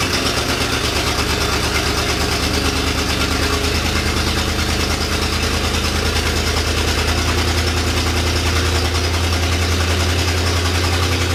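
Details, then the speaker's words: 1966 Continental, garage-stored and unregistered about 9 years, starting and not yet warm. Big V8 runs rough and uneven with a lumpy low beat and a backfire pop. Exhaust leak up front; distributor cap and plug wires suspected: rough running after long storage. "It needs some work for sure. Distributor cap and spark plug wires, I'm sure. Yeah, it definitely just needs some love, but for it to"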